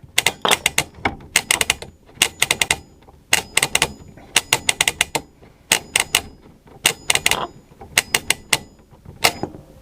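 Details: Early 1980s AWA/Thorn 38T1 colour CRT TV on a Mitsubishi Q chassis, rotary tuner just cleaned with switch-cleaner lubricant: bursts of crisp clicks as the knob is spun through positions, clean detents with no scratchiness; tuner working normally.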